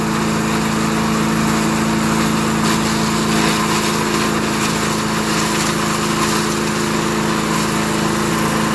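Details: 1991 all-steel MTD 8hp chipper/shredder, a dump find with a Tecumseh HM80 155426L cast-iron-sleeve engine, running after a new wheel and carb adjustment. Strong, even single-cylinder roar at full throttle, holding speed as material feeds through; healthy under load.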